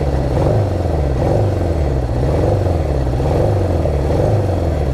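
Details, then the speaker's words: Honda CB750 on test ride after carb rebuild and sync: lumpy, uneven exhaust beat with a rhythmic sag, like one cylinder dropping out; ignition misfire, owner first suspected a dropped plug. "Kind of sounds like it's down a cylinder right now, which is weird. Yeah, it's not happy."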